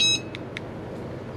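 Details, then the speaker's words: RVLocks keyless compact door handle on a 2020 Grand Design 2670MK RV pairing with its remote: lock button pressed after learn button, bright electronic beep then soft clicks as the handle confirms fob sync. "Press and release the lock button on your remote until the handle confirms its sync. It's a long beep, yeah."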